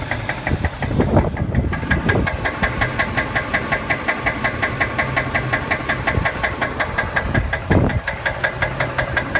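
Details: Ford 5.4 liter Triton V8 at 138,000 miles idles with a sharp, steady knock about five or six a second; rod knock suspected, not confirmed.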